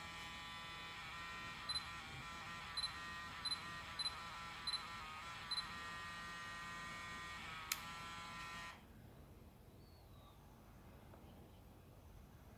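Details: Zeiss Batis 18mm f2.8 lens on a Sony a7R II / a6000: steady high electric buzz from the lens motor with vibration for about nine seconds, ending with a click; a lens malfunction.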